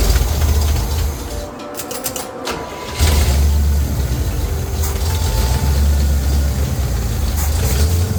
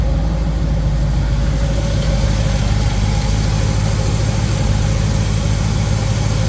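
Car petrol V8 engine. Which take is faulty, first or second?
first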